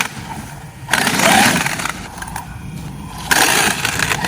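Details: Traxxas X-Maxx RC truck after 80kg servo upgrade, driven with a small crack in the front bulkhead: bursts of harsh grinding and clatter in surges as it drives, rear wheels driving but not the fronts; front differential failed, not caused by the servo.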